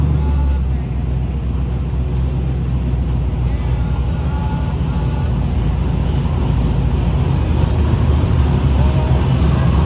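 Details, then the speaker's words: Rebuilt 409 small-block Chevy V8 shop truck with new bigger tail pipes, timing rechecked, carbs not yet adjusted, over 60 psi oil pressure: deep, lumpy, throaty idle, even and unbroken; healthy, more aggressive through the big pipes. "Sounds a lot more aggressive, partly due to the bigger pipes. Carbs are about right. I didn't even adjust them yet."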